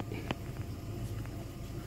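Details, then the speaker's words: VW Suran/Gol Trend/Voyage at idle after tightening a loose bolt that caused a front-end steering rack noise when turning the wheel: a low, even hum with no knocks or clunks; fixed. "Ya no tiene más ser solucionado el problema"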